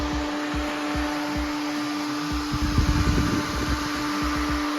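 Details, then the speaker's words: 1974 VW bus with Subaru engine and belly-mounted radiator: electric radiator fan pushing from the top runs with a strong, even whir and steady airflow rush, drawing air in well; healthy fan. "push your fan from the top singing away here yeah sounds good"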